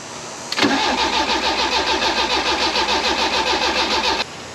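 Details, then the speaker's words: Barn-find Bertone X1/9, first start attempt after engine swap, unrun for years, battery positive post losing voltage: steady starter churn near four seconds, never catches; unsure fuel arriving. "Well, that's positive. We're getting it to turn over. Didn't want to initially, but you know, I don't know if we're getting any fuel or not."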